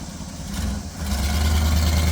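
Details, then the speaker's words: 1969 Chevelle barn find on its first test drive after a two-barrel carburetor rebuild, with single exhaust: a deep, steady, even V8 rumble with no misses or ticks. Normal idle. "Listen to that single exhaust in that two barrel."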